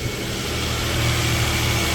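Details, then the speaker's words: 2009 Nissan Pathfinder 4.0 V6 idling right after new camshaft sensors, spark plugs and ignition coil boots: smooth, steady low hum with no stumble or misfire, way smoother than before; normal idle. "Oof, instantly. Nice. Super smooth, way smoother than last time."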